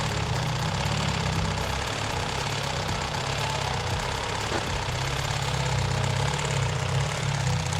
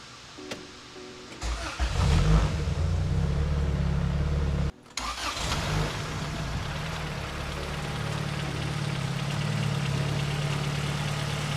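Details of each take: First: 1992 Honda Civic EG hatchback, turbocharged built engine, cold start: a light, fast rattling tap over the idle that goes away once warm; stethoscope places it at the timing belt tensioner, the belt is seen jumping, and the tensioner is to be replaced. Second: 1992 turbocharged Honda Civic EG hatchback with a fully built engine and upgraded turbo, after reinstalling the ATI Super Damper crank pulley: it cranks briefly, catches and settles into a steady, even idle; the earlier engine noise is gone.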